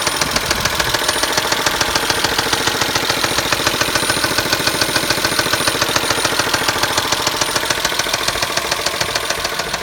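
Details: Knocking from the engine of a Pacifica: a sharp, even knock at about 207 per minute over a steady idle, pronounced; internal engine knock, cause undetermined.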